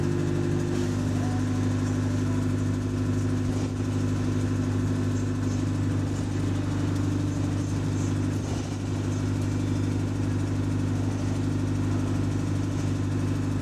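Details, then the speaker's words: Diesel bus GAL 731 on route 126: steady drone with a faint, fairly regular tick of about three per second that is heard whenever the engine is under throttle, slightly even at idle. The tick's cause is unknown. "but yeah anytime the engine is throttling you hear that tickling noise you hear that tickling noise so of course you hear it slightly on either up here cuz the engine has to thr on on idle to keep to keep the RPM up towards the id"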